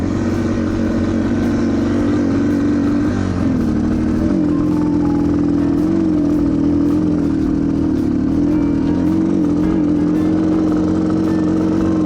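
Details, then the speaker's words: Yamaha TTR230 dirt bike on a trail, wouldn't start except by bump start: engine drones unevenly with sagging, wavering pitch, like a lawnmower; running rough, cause unknown. "i mean i'm sure i can just limp there it sounds like a freaking lawnmower"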